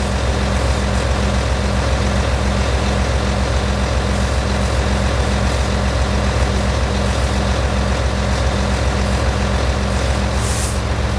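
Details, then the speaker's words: Truck air brake demo, diesel idling: steady even low pulse, then a short sharp hiss out the window as the air governor cuts out at maximum pressure of 125 PSI (115–135 acceptable), compressor unloading; normal. "The air governor will signal to the compressor when the maximum pressure is reached. You will hear the air discharge out the window."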